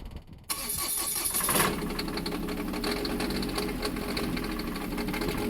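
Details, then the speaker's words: Onan 7500 Quiet Diesel generator on a 2002 Jayco Avatar diesel pusher, cold start after fuel filter change and about a minute of priming: short crank, catches at once and settles into a steady, even idle; normal cold start. "Let's do a cold start on a Onan Quiet Diesel 7500. Hopefully it don't blow up."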